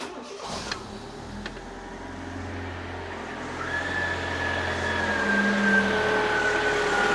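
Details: Fiat Panda 4x4 1.1 FIRE engine, first start after cambelt change: starts quickly, then settles into an even run with revs climbing smoothly and no knocks or rattles; sounds healthy.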